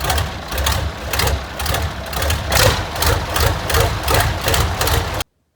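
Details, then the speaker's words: John Deere 2010 tractor idling before repair: loud, raspy puffs about two or three times a second from the leaking exhaust manifold gaskets. "mostly guys what everybody's expressed concern in is the uh abnormally loud leaking exhaust"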